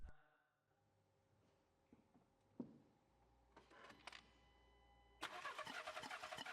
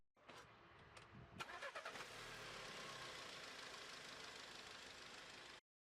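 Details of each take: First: VW Golf 7 that refuses to start: the starter spins the engine in an even chug of about three beats a second but it never fires. A spark test with the plug held against ground shows no ignition spark, so it cranks without starting. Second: VW Golf 7 (Mk7): short crank with a few quick catches, then the engine fires and settles into a steady, even run; starts and runs normally.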